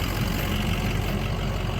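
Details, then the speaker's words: Ford 6.0 Powerstroke diesel truck on a fuel mix of used engine oil and gasoline, idling. Smooth, low, steady idle with no injector clatter or tick; the injectors are unusually quiet, the best it has ever run. "six liter diesel usually the injectors are super noisy while it runs this is the best that this truck has ever run can't hear the injectors right now they're so quiet this truck's sitting here is so quiet amazing"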